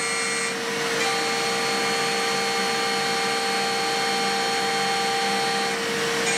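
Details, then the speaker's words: DIY milling machine with a 4-pole spindle cutting C45 steel using a solid carbide HPC cutter on the final milling path: a steady high-pitched chatter scream over spindle hum. Suspected cause is the cutter's outer edge running exactly along the workpiece edge; climb milling also showed vibration. "在最后的铣削路径中，又可以听到令人不快的噪音。我认为这是因为刀具的外边缘正好位于工件的边缘上。"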